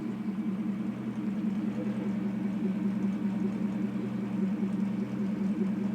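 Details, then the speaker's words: Porsche 928S reversing with the engine warm: a steady, even low hum with no whine, clunk or grinding, sounding perfectly normal. The ugly reverse noise happens only when cold and signals a transmission needing rebuild or replacement. "As you can see, everything works and sounds perfectly normal."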